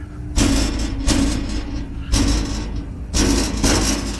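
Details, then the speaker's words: Loose fender panel rattle on a new 20' PJ trailer: hand strikes on the fender leave a tinny, buzzing metal rattle; fenders slide into small clips and rattle over bumps, owner plans wooden shims to tighten them. "make noise when they hit a bump and they've got these little clips right here that the fenders actually slide into"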